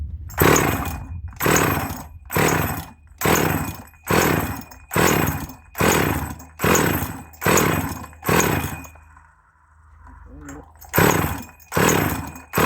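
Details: Husqvarna 444 / Practica 40 chainsaw, untouched since purchase, leaking petrol, possible bearing issue suspected: about a dozen blubbering rev bursts, roughly one a second, sagging and spluttering, coughing fuel from exhaust; sounds flooded and rich.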